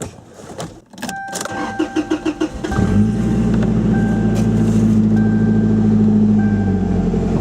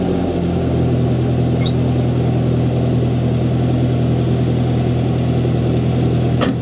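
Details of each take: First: Toyota Tacoma 2.7L 3RZ, 2-inch exhaust, cool day, stock muffler cut off: starter cranks briefly, engine fires to a loud, raw, throaty idle with heavy low drone; open exhaust, no muffler. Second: Toyota Tacoma 2.7L 3RZ on a cold start after installing a Thrush glasspack muffler on the 2-inch exhaust: even, steady idle with mellow low rumble, no knocks or ticks; not very loud, healthy.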